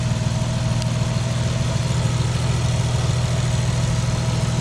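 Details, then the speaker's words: Nissan Stagea back together after repairs, warm start, with muffler inner tube fallen out: steady, even, deep throaty low idle rumble with no knocks or misses; normal, smooth idle. "still sounds awesome deep and throaty man i really like it up here so smooth everything's running so good so smooth"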